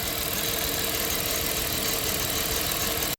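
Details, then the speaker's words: 1997 Dodge Caravan LE idling with number three plug wire disconnected, no check engine light: faint unevenness under hissy background, one cylinder dead; misfire from the disconnected plug wire. "oh it's definitely quiet right now running on five uh you can see no plug wire hooked up"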